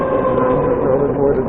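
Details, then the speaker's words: VX1 motorcycle, warmed up, climbing a hill under load at low speed: thin, wavering high-pitched chirp over the engine, louder once the transmission warms and starting around 30 mph; transmission chirp suspected, not confirmed. "Yep, that brought it out. That was another hill, and it was nice and loud, if you can call that nice. It seems like once the transmission is warmed up, it's louder."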